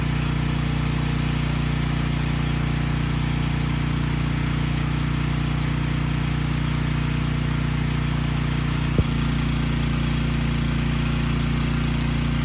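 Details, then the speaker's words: Briggs & Stratton Storm Responder generator (engine 21T212-0116-G1), formerly stuck at TDC with fuel-flooded crankcase, first run with governor spring backed off: a low, steady, slow single-cylinder thump with no misses or knocks. It makes power; early smoke burned off. Normal slow idle. "it makes power the engine sounds good it was smoking a bit but that burned off after a few minutes so i think we're good"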